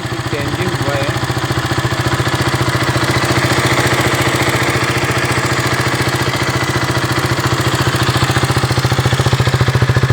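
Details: KTM Duke 200 engine sound problem: steady single-cylinder idle with an even tapping pulse, about three to four a second, riding over it; abnormal idle noise, cause not clear.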